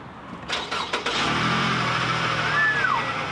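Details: Flooded car with 51,000 miles: a few quick cranking chugs, then it catches and settles into an even idle, a clean normal start. Afterward there is a little smoke and water spraying from the exhaust.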